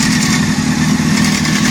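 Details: Honda CBR600 F4 four-cylinder idling with a light, busy metallic rattle over the exhaust hum, a top-end noise suspected to be the timing chain; cause not confirmed.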